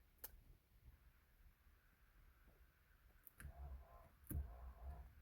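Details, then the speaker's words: 1983 Mercedes 380SEC (W126) sunroof, key on, engine off, battery low: faint motor hum with scattered sharp clicks and no steady drive; sunroof drive clutch not tight and slipping, adjusted afterward. "okay that sounds like the clutch let me see if I can adjust that"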